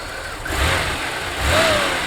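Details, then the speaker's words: 1992 Oldsmobile 98 3.8L after installing a new harmonic balancer: idle and two clean blips rise and fall smoothly with no clunk or knock; normal revving, fix confirmed. "As you can see, you know, the the clunking and knocking is gone. I'm going to rev it up couple times."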